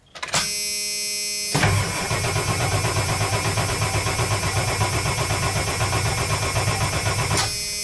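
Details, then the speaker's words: Ford E350 van, 7.3L diesel, cranked from inside the cab with fuel gauge at half tank; starter cranks steadily at about four beats a second but never catches; crank-no-start caused by a dead short blowing the ECM fuse. "so as you guys could hear the van cranks but it doesn't start"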